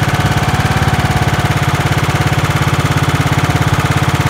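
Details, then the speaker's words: 1990s John Deere RX73 barn-find riding mower running: steady even exhaust pulses about 3.5 per second, no misses or knocks, smooth running. "well that is smooth running though"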